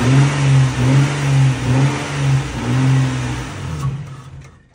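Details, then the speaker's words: Long-sitting car started with a jump pack: engine runs with an uneven, lumpy note for a few seconds, then fades out and dies. Owner suspects an automatic shut-off because the alternator is not charging. "yeah I think it has an automatic shut off and because the alternator is not charging it dies"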